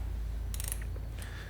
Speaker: upon achieving the torque load of 15 lbs inch, which is quite small load, you can hear the idle rotation of the head, preventing the overtightening of the scope's mounting screws.